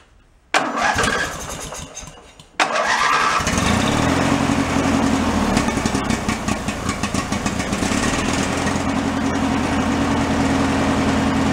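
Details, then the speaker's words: Free derelict Craftsman riding mower after fuel system cleaning and electrical repairs, started by key on fresh fuel: cranks briefly, catches on second try, settles into steady even idle with no misses; normal start and idle. "please idle no problem I'll let that run for a minute or two"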